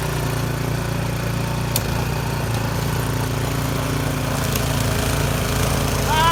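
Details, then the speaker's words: Yard Machines 22-inch snow blower after carburetor cleaning (gas left in it at least two years), choke off at full throttle on test run: steady, even beat with no surging or misses; normal running. "we're gonna go ahead and give a little test drive and see what happens so choke off right now all the way full throttle Friday there"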